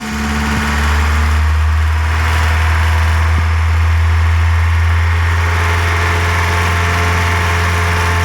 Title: Golf 1 GTI Motorgeräusch 3